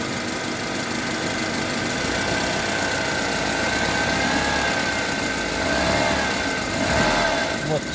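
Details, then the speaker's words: Honda HR-V CVT, heard from the rear: a steady hum appears only when shifted from park/neutral into D and rises slightly with throttle. It vanishes in neutral; the owner suspects bearings. "А сейчас, когда D включаешь, вот такой гуд появляется. Вот где-то здесь вот сзади."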